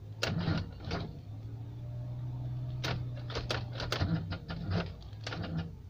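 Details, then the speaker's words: Car at -1°C with water instead of antifreeze in the engine, thawed with a heater gun. The starter drones slowly and the engine nearly catches, or starts and stalls at once; the battery is running down. "завелась и заглохла сразу завелась с пол тыка опять заглохла давай родная заводись аккум сел блин ну почти завелась то еще раз попробуем"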